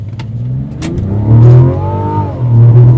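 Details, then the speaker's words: 2025 Mazda CX-70, 3.3L turbo inline-6 mild hybrid, 8-speed automatic, AWD, during a 0-60 run: the engine pulls hard with a thin rising whine above the exhaust note, plus some vibration; the whine is attributed to the electric drive motor, unconfirmed. "a lot of whine in there yeah you can hear that whining and that's that um electric Drive moto"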